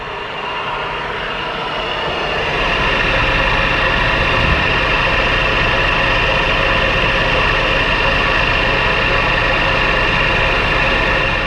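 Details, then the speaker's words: Hyundai Kona Electric (US import) AC compressor running: steady droning whir with rough grainy hum; because of the noise the compressor is suspected of an insulation resistance fault. "y a un soupçon qu'en raison du fait qu'il fait du bruit, le compresseur a un problème avec la résistance d'isolement"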